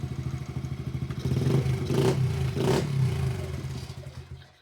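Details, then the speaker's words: Dixie mini bike resembling a Honda Z50, with a newly fitted single-cylinder engine, carburetor, CDI and regulator. It revs up with an even, steady beat, no clatter or misses, then settles; a healthy, smooth-running engine. "All right, guys. As you can hear, it's burning like a kitten."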